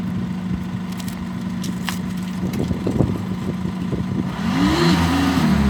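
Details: VW Golf GT 2.0 TDI: rough uneven diesel idle with irregular clattering and smoke, then a rev with a wavering whistle; turbo failure suspected, not confirmed.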